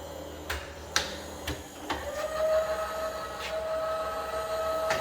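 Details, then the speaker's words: Fully rebuilt Bridgeport milling machine, X, Y and Z power feeds tested together with rapid override, then back to normal feed rate: light clicks as it engages, then smooth steady mid-pitched hum, no grinding or knocking; normal power feed operation. "So there's the X, the Y and the Z, and they've all got rapid override. And we'll slow back down to normal feed rate as well."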